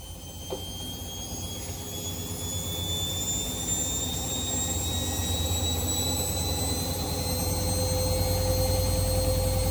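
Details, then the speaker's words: Washing machine spin test after fixing loud drum noise by bolting a loose balancer screw with lock nut and flat washer: smooth rising whine as drum spins up, no grinding or scraping; normal spin cycle after repair. "Para na ulit itong eroplano na pa-take off. Parang jet engine na ang tunog, hindi na panggiling ng bato."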